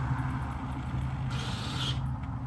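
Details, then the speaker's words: 2009 Arctic Cat 1000 quad after the 4x4 switch is pressed: over a steady low idle, a brief half-second electric whir as the front 4x4 actuator engages normally; before, the actuator was completely silent and never kicked in. "Did you hear that? That was a 4x4 switch or 4x4. So, yeah, this is for the lock and it uh locks in the diff. And then this is the 4x4 actuator."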